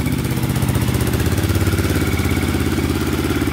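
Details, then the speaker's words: 2002 Yamaha Raptor 660 quad after timing chain and valve replacement, first start: even steady single-cylinder thumping idle, no misses, rattles or ticking, burning some oil off the pipe; normal idle. "so it's running great there's a little oi"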